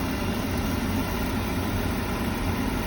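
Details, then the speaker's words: Beckett oil burner after repair, with the start capacitor found to be the real fault: steady, even low roar with a constant rumble and no pulsing, ticking or sputter; burner firing and running normally. "you hear the blower motor hear the blower running and it's turning the oil pump i'm assuming this thing is going to fire up"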